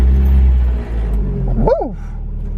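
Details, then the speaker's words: Mazda Miata cold start after swapping cracked stock exhaust headers for cheap unbranded lighter ones, stock intake: deep, steady low rumble settling into an even idle, no knocks or misses; healthy, quiet once warm. "is a cold start we're gonna let her warm up all the way"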